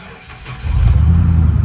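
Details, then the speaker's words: Copart salvage truck: brief quiet lead-in, then the engine starts right up and settles into a steady deep rumble; clean start. "Started right up."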